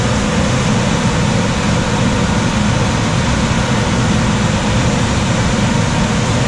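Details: Coleman DGAX056BDTA manufactured-home furnace, constant-torque ECM blower with 24-volt taps set to high: loud steady rush of air, no rattles or squeals when main blower runs; excessive blower noise from high speed setting, fix is lowering the speed.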